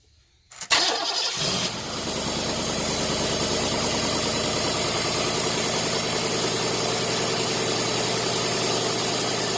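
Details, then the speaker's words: 1990 Cadillac after replacing the failed ignition coil that caused warm crank-no-start: it catches quickly on the first crank and settles straight into a smooth, steady idle with no stumble. The intermittent no-start is fixed. "and just like that we seem to have solved finally the intermittent start and stop problems it would start just fine when it was cold and then it wouldn't start after you shut it off turns out bad coil"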